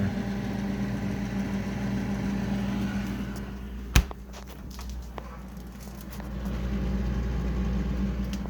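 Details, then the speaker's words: Frigidaire refrigerator compressor, owner says low on charge (freezer ices up): low steady hum with uneven throb and a sharp knock partway through; compressor running rough, cause suspected, not confirmed. "condenser as you can see and that sound going pretty rough shape going"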